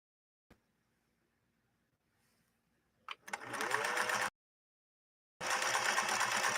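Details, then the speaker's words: Viking 21E sewing machine sewing a pattern with a shortened stitch length: short bursts of quick, even stitching with a smooth, steady whir and no knocks or catches; it runs silky. "And listen to this machine operate. Absolutely silky."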